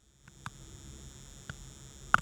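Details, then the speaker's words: Nvidia Shield TV AC power adapter, unit fully shut down: faint low electrical hum with a thin whine, recorded by external mic; noise rises to a high-pitched scream when booted, same on different outlets and a replacement adapter. "a low humming noise now I'll boot up the system and you'll be able to hear the frequency response change to a higher pitch noise"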